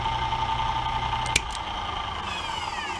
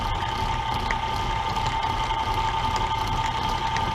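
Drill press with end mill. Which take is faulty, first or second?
second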